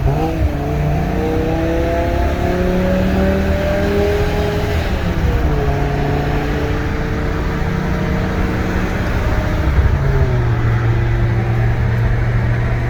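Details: BMW E60 M5 S85 V10, about 135,000 miles, after rod bearing and valve cover replacement, driving: clean note climbing and falling through the gears, no knocks, rattles or whine; healthy.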